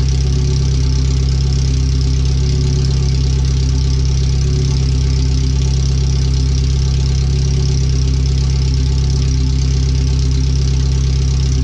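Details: First startup after new header, fuel filter and differential work, O2 sensors and wiring rerouted: deep, very loud, raw idle rumble with even pulse and no muffling, exhaust open at the header; computer read 5–7% rich at idle in closed loop.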